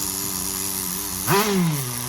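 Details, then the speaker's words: Tamiya TGS-R nitro RC car, freshly rebuilt engine being run in before its first heat cycle, needle set around factory two and a half turns out: buzzy idle sits too high, blip sags slowly back to fast idle; high end may still be lean. Idle speed set too high. "idle definitely shouldn't be revving it [Music] high which it even sounds like the high end is still I lean lean for this"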